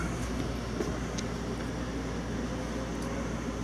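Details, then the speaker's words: RV toy hauler rooftop Coleman A/C running at 87°F outside after a Supco Super Boost hard-start capacitor and relay were fitted: steady low hum and even fan rush with no rattles; cooling normally, though the capacitor made no difference. "87 degrees outside the AC is running I'll get into that in a minute"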